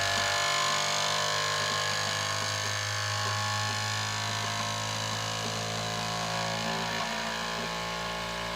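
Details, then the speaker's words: Elegoo Centauri Carbon 3D printer, new, first-time setup, mic placed close up: input shaping vibration calibration, loud buzzing tones stepping and shifting in pitch as axes are swept; normal, louder than owner's Bambu X1C. "Now this part after it calibrate bra it calibrated the uh vibration. So that was the noisy part."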